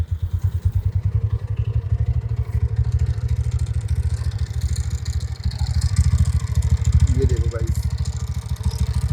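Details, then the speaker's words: TVS NTORQ scooter idling: heavy, uneven low clatter about three times a second over the engine; loose nut-type one-way clutch causing the rattle. "तो इसको आपने और भी पुरानी videos देखी होंगी एंटor की जिसमें आपने देखा होगा कि यहां पे ये इसका जो वन वे होता है एक नट टाइप का होता है। अगर वो लूज हो जाता है तो बहुत ज्यादा खड़खड़ की आवा आती है जैसा कि अभी आप देख पा रहे हो।"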